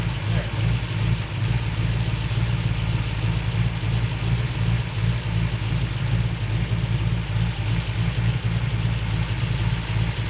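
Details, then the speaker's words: Ford V8 during a tune-up with fabricated distributor plates, vacuum advance adjusted: low idle with an uneven, hunting beat that never settles; the idle screw is fully out, so owner suspects the accelerator linkage is holding the throttle open, unconfirmed. "you hear how unstable the motor sounds it's just oh man something was bugging me"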